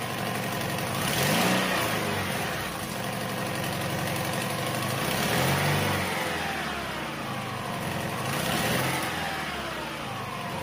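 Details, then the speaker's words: 2009 Toyota Highlander 2.7 engine, about 260,000 km, cold start idling and revving: quick clattering rattle that fades after two minutes warm; stethoscope found a ticking belt tensioner and a suspected loose balance shaft gear. "刚才我也用汽车异响听诊器去检查了，现在发现有2个问题啊，一个是皮带的张紧器有个咯哒咯哒的声音。还有一个则是它的平衡轴可能有问题了上面的齿轮松旷了。"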